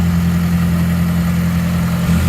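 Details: Nissan Silvia S15 200SX after adjusting the belt tensioner pulley to cure a squeal on start-up: steady low idle, even hum, no squeal or chirp from the belts.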